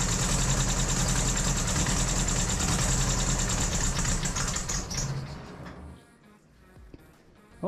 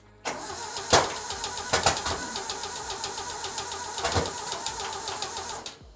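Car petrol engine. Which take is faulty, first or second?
second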